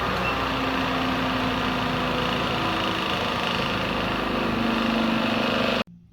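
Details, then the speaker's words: 15 hp 3-phase AC motor, no load, 41 A full-load draw, started through a soft starter with maximum starting current set to 200% (about 82 A): steady hum rising gently over the 3-second gradual start, smooth with no knocks, a healthy soft start. "Once programmed, press Run to start. The gradual start time is 3 seconds."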